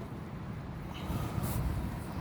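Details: Toyota Auris under the hood near the alternator: a low, steady hum under the idle that rises with electrical load, not metallic like a bearing and no belt contact seen. Alternator hum.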